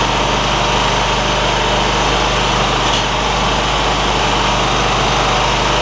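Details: John Deere ZTrak zero-turn with Kohler V-twin, sat two years, carb with sticky solenoid: steady, even high-pitched drone with no misses or surging, oak leaves hitting the back of the cooling fan; engine running smoothly.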